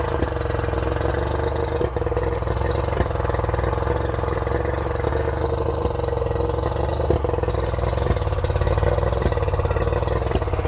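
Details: Revived two-stroke outboard on flush muffs fed from a fresh-water port: fast, even burble with no dips, still idling a little bit high.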